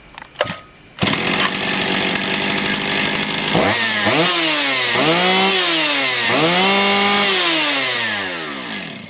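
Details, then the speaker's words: Motor Sich 270 chainsaw with new ignition coil, warm restart: fires after a brief crank and revs up and down cleanly, with a crisp, even rise and fall in pitch and no misfire; the saw now starts hot. "сказати хочу я сказати друзі що пила заводиться тепер"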